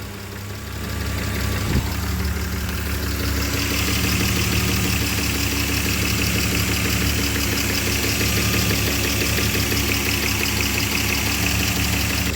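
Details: BMW E34 5 series M50B20 warm at idle: uneven lumpy beat with a slight stumble, intermittently cutting out; suspects a folded intake pipe letting air in, new part didn't help, temperature sensors next.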